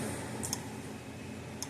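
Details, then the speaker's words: Repaired Gallagher M800 fence energizer (old orange case), about seven thousand volts, black wire shorted across ground terminal: crisp double click about every second, evenly spaced and unchanged, lights still flashing; pulsing normally, fault fixed. "put it across the Ground Terminal it didn't change to the lights still flashing so our issue is fixed this unit is done"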